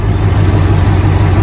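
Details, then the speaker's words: 2007 Mustang GT with swapped Coyote V8 at idle, first start, about 104°F outside: steady deep idle with faint high whir as fan runs full and A/C compressor engages; runs smoothly under A/C load, cold air as before swap. "when i engage the ac the fan kicked on full and you can tell the compressor kicked in and i got cold air as it did before swap"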